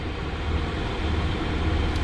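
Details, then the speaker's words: Diesel air heater just reinstalled in truck camper: steady low roar with no surging, popping or misfire; exhaust air good and hot, running normally. "oh hi air coming out of the exhaust yeah it's good and hot now y I think we're in business I think we're in business"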